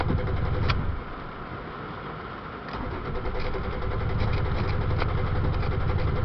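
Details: Toyota Tacoma stalled after running into water; rough, uneven engine noise that dips and labours before picking back up, struggling to catch and run cleanly; hard start, cause suspected, not confirmed.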